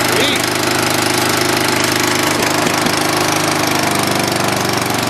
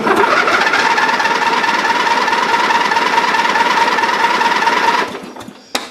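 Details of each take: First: Dynamark riding lawn mower, long sat, with carburetor cleaned, fresh gas and patched tire tubes: small single-cylinder engine fires up and runs steadily at fast idle, even beat, no misses; normal running. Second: Dynamark riding mower that sat for a long time, after carburetor cleaning, a new gasket and fresh gas. The small engine drones unevenly, cuts out into silence, then catches again with a couple of pops. Still not running right; fuel delivery is suspected.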